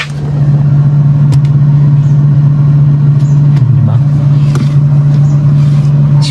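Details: Haier no-frost inverter refrigerator after home service (clogged drain, ice-packed evaporator, blower fan that had been rubbing): steady low even hum with no rattles or scraping, fan now running smoothly on its high setting.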